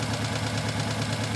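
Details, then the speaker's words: Four-cylinder engine idling with one injector deliberately disconnected, running on three cylinders during scope misfire diagnosis: regular stumble, a dip about every fifth of a second instead of an even hum. "okay we're running on three cylinders here we go"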